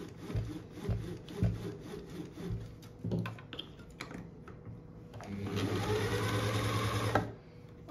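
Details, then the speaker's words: Dorina Overlock 710 serger after the loose motor was reattached (secured with superglue) and parts cleaned and oiled: after handling knocks it spins up into a smooth, steady whir with no rattle; running normally. "alles zurück gemacht und jetzt läuft jetzt muss alles bisschen richtig geölt werden rein gereinigt und dann machen wir weiter"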